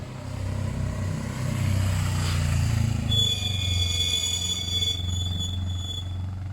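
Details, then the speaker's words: Suzuki GS500 parallel twin after carb clean, carb balance and fuel lines simplified from 5 to 1: pulls through its revs with an even, steady exhaust beat and no stumbling, then eases off smoothly; running well. "reckon that's about the best that bikes ever gonna run they should go on they went into second straight away I think that's running well"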